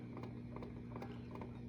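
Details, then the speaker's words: Zenith Allegro 1970s radio/turntable, model JR596W chassis 15WJR29, previously seized motor oiled, playing a record: low motor hum with soft lumping thump several times a second as platter turns; rubber idler wheel has flat spots. "I'm trying to do what I can for this guy, but uh, yeah, that lumping bugs me. That's too bad."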